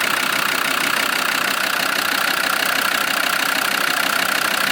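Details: Land Rover Discovery 2 Td5 diesel after fitting a new in-tank fuel pump and bleeding: even clatter at steady idle, about three beats a second, no stumbling; running again after non-start, though further faults remain.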